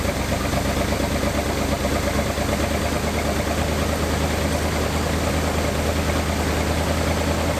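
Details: 1986 Dodge Diplomat police car V8, parked 25 years and recently revived: held at a fast, steady idle with an even low drone and no misses while warming to open the thermostat and check for leaks; high idle.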